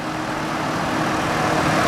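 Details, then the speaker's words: After replacing a screaming idler pulley beneath the alternator (alternator was not the cause): smooth steady engine hum, no squeal or screech from belt side; accessory drive sounds healthy. "It wasn't the alternator. It was the idler pulley right underneath of it that was screaming. So I went ahead and replaced that thing."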